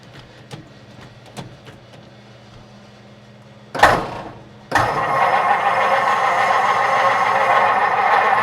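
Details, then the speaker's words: 1949 Meteor survivor, 37,000 miles, in neutral: a few light clicks, short crank, then catches and holds a smooth even idle; runs differently from when bought. "This is not how it ran when we were buying it. Not at all."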